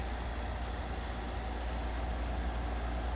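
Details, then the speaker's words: JVR Vac110 chamber vacuum sealer with oil-based pump, running a vacuum cycle on a bag: a low, even, very quiet hum with no knocking or rattling; normal vacuum pump operation. "the vac 110 is pretty much right up against it you can barely hear it i can barely hear it"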